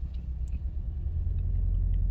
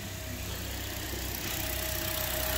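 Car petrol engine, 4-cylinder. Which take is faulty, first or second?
first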